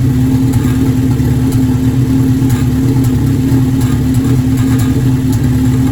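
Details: Formula Enterprise engine starting after intake manifold gasket installed: steady low idle broken by scattered irregular sharp ticks, consistent with a cylinder misfire.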